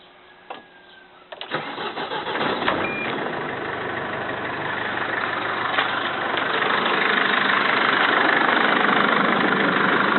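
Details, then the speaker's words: Mercedes Sprinter engine idling just after start, with recently changed semi-synthetic oil; brisk regular clatter of three to four ticks a second, heard only on the turbo side; owner suspects hydraulic lifters, cause unknown; ticking knock at idle. "Мы сейчас проверим стук двигателя Mercedes Sprinter. Какой-то необычный стук, похоже на гидрокомпенсаторы."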